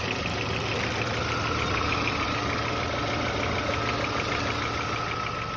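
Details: VW Passat B4 at idle: steady engine hum with fast light ticking about three per second; owner asks whether it is a knock or normal, source undetermined.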